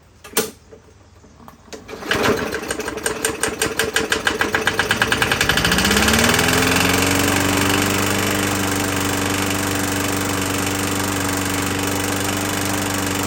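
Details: 21-inch Murray 125cc push mower after valve adjustment, oil showing metal sheen: pull start, catches and revs, then runs with an uneven, lumpy beat under the drone; owner suspects internal damage, possibly from running without breather cover; judged not worth fixing.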